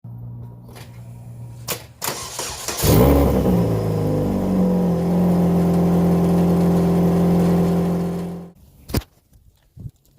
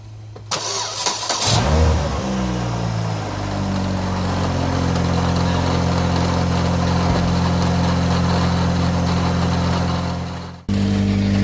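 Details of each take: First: Saturn Ion Redline turbo, engine started with downpipe gasket removed (joint found wide open): loud raspy idle with puffing edge, exhaust leak at downpipe gasket. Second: Saturn Ion Redline after an exhaust repair in which the warped flanges got doubled homemade gaskets and RTV; it catches after a short crank and settles into a steady, even idle with a smooth blip, no ticking or puffing leaks, and the exhaust sounds sealed.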